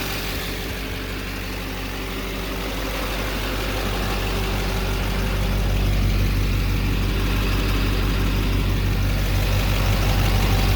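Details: 2009 3500HD Duramax diesel idling with a deep steady rumble and a thin constant whine on top; the cause is unknown.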